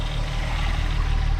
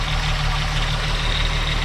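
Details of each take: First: 2001 US-spec VW Jetta VR6 wagon idling: a deep, even low thrum with a steady pulse and no misses or ticking; normal, nice idle. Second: 2001 US-spec VW Jetta VR6 wagon at idle with the hood open: an even, fast light ticking over a steady idle; owner can't tell whether it's timing chain noise or the auxiliary pump; unconfirmed.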